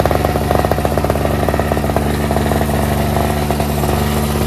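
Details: NOMA 4.5 hp Tecumseh two-stroke 21-inch single-stage snowblower, pull-started after the tar-clogged fuel filter was replaced, on full run: fast, even putter at constant speed, no misses or surging. Runs great, normal.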